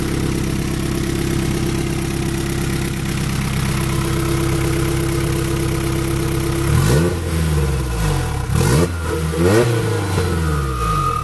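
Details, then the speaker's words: Honda Prelude F20B with a new, bigger Precision 6266 turbo and downpipe: steady idle, then sharp revs with pitch sweeping and a rising whistle each time; deeper tone and more spool whine than before, normal. "in person it has like a deeper deeper tone to it and uh and turbo is this is bigger here like wine up a lot more"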